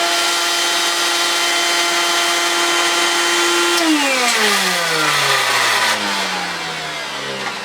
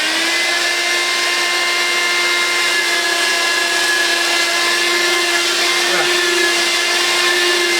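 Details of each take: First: 1970s Hoover Constellation vacuum: steady high motor whine with coarse buzzing edge, pitch falling as it spins down; rough vibration, owner suspects the bearings (spins okay by hand, oiled), cause not confirmed. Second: Steady high motor whine with constant airy rush while vacuuming carpet, pitch even; running normally, good suction, picking up the carpet pile well.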